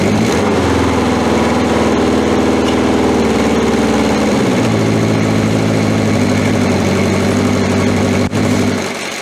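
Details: 1981 Honda CB750K four-cylinder, semi-cold start after about two hours with the battery refitted and fuel turned on: settles into a smooth, even idle after a brief dip in revs, no knocks or misfires, no oil leaks.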